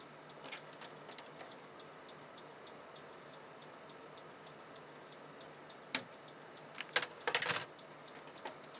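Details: PC stuck on startup repair, won't boot, with faint regular ticks over a quiet hum plus louder handling knocks; owner suspects a failing, clicking hard drive, not confirmed.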